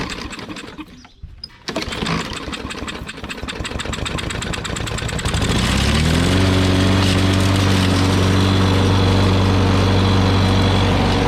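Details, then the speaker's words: Old lawn mower with a bent shaft, possibly flooded after lying on its side: catches on the pull, runs rough and unevenly with a thump, then stalls shortly; afterwards seems to have no compression, cause unclear. "that didn't last too long but that doesn't sound good did you hear that did you hear that thump I heard a thump"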